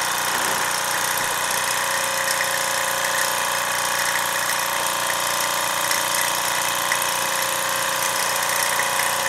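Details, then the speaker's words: Mamod SR1 steam roller, about 1963–66, safety valve top O-ring slightly swollen but working: even, light chuffing at a steady pace with no knocks or hesitation; smooth normal running. "Really smooth runner."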